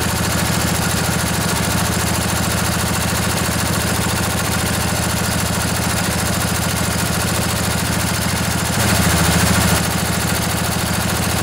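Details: Revived junkyard Briggs & Stratton Intek OHV twin, 20–22 hp, model 40777, in a Husqvarna riding mower, with a new carburetor: steady, even idle putter of about three and a half pulses a second, no misses or knocks.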